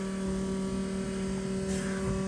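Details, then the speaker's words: Green Chevelle in a true cold start at about 20°F, covered in snow, carburetor probably dry: a steady electric whir with a clear constant tone and no engine running; the fuel pump is priming normally. "the carburetor is probably dry there's probably no fuel up to the carburetor"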